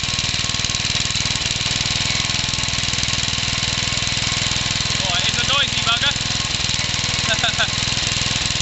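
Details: Home-built engine combining Suffolk and Briggs parts with a 1950s engine, first run after carb cleaning: steady rapid knocking, about four a second, over the running engine; worn big end bearing as expected, not very smoky.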